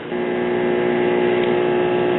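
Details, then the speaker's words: 1982 Zenith 17-inch Space Command color TV warming up: steady fixed-pitch buzz under the audio, typical Zenith buzzing audio; picture later lost and set shut down; cause unknown. "typical buzz-omatic zenith writing on the screen buzzing audio"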